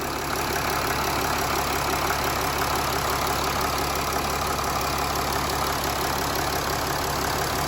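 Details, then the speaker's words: 2011 Mercedes ML300 OM642 diesel just after fuel filter change, fuel lines refitted: started first time, steady even diesel clatter at idle, no misses; healthy idle, no leaks. "All right, so let's start it up. So there we go, folks. Started up first time."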